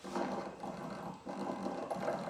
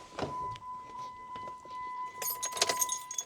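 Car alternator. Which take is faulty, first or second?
first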